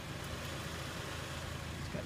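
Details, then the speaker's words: Warm 2000 Toyota Avalon XLS at 173,889 miles, after timing belt, water pump, tune-up and gasket service: uneven lumpy idle with rhythm-breaking thuds, car shaking, engine light flashing; multiple-cylinder misfire. "misfire multiple cylinder misfire engine light is flashing"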